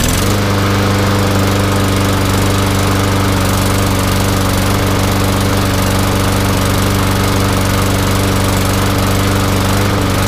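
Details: MTD Yard Machines mower with Briggs & Stratton engine, which would not start before, now running after replacing the holed gas tank: steady, even drone at constant pitch with no misses or knocks; it runs smoothly and sounds healthy.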